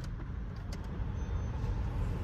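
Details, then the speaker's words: Ford EcoSport with the air conditioning on, after a cylinder 2 misfire was fixed with a used spark plug: low, even rumble holds steady with no stumble or skip under the AC load; check engine light gone, runs healthy. "So kahit naka aircon na maganda naman yung galit Nia wala na yung check engine"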